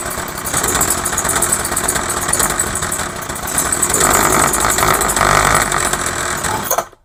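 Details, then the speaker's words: Craftsman 21cc two-stroke hedge trimmer, after new fuel lines and a carb kit rebuild, running with choke on, half and off. It buzzes unevenly and hunts, never settling: rough running. The owner suspects a carb metering-side error or needed adjustment. "Okay, so obviously it needs adjustment. Or I did something wrong in the carb."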